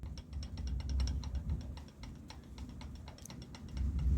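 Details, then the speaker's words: CG 125–250cc pushrod motorcycle engine with a new timing kit, new crankshaft and axle, turned by hand: light, irregular clicking of the gear teeth; noise remained after new rocker arms and valve adjustment; excess crank-to-cam gear play, timing gear backlash. "look there the game between the teeth , well, that's noise , we changed it, we changed the rocker arms, we adjusted the valves, it continues to make noise"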